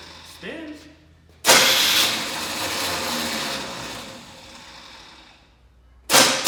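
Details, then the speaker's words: 1984 Chevy Blazer starter: it whirs up freely and winds down without cranking the engine, then spins again. The Bendix drive isn't kicking out to engage the flywheel; tapping the solenoid or swapping the starter is planned. "spins sounds like the Bendix isn't kicking out yeah do you want to try and tap it"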